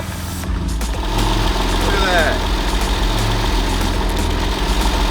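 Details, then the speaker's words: Crash-damaged 1999 Porsche 911 (996) flat-six, first start in about 12 years on old gas, oil pressure present, no coolant: fairly steady idle with low slightly lumpy pulse, no knocks or grinding; normal idle. "we running it right yeah that's the smell of that old gas all right we don't have coolant so let's see sounds decent"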